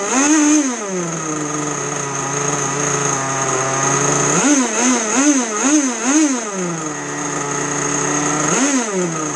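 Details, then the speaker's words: Two-stroke RC boat engine on the bench at its bench needle setting, with no load: the high buzz climbs and drops cleanly through several quick partial-throttle blips and settles back to idle. Normal no-load revving. "You don't want to rev it for a long time or without load, full throttle. You can boost it here and there like you saw me doing."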